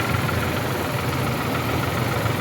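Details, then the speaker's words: Suzuki Wagon R that had been misfiring, vibrating and losing power. After the injectors were cleaned and the coil set, the petrol engine idles with a steady, even low hum and no vibration. "उनके injector खोलो गाड़ी band करो अल्हम्दुलिल्लाह vibration भी खत्म हो गया है"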